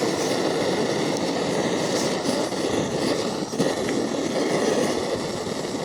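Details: MSR Dragonfly liquid-fuel stove, owned a few years, flaring up during priming: steady deep roaring rush of flame, no sputter. First-time flare-up; owner suspects too much priming fuel and thinks the stove needs a service.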